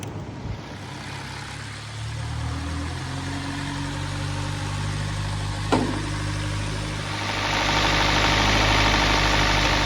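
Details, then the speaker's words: 2019 Hyundai Veloster with timing correlation codes, idling: steady fast tick about three or four per second under the valve cover; mechanic suspects a timing issue such as a broken cam phaser key, not confirmed. "Yeah, make that noise. I think that's what we're hearing under the valve cover."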